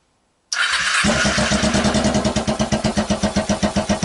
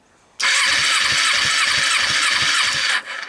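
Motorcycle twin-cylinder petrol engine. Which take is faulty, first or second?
first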